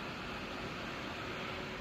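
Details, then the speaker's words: AMD RX580 graphics card fan set to manual 60%: steady even airflow hiss, no ticking or rubbing, louder as speed rises; normal fan running. "อ่าเห็นมั้ยครับได้ยินเสียงพัดลมมครับเสียงมันดังขึ้นอ่าเห็นมั้ย"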